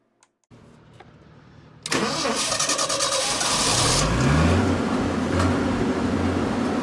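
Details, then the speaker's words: Onan generator modified with variable speed cooling fan instead of crank-driven fan: cranks, catches, settles to steady even run with soft fan hum, no knocks; now quiet enough neighbor couldn't hear it. "i can tell you that the generator is quiet enough now with the new configuration that i ran it for half an hour and called my neighbor and he couldn't hear the generator running"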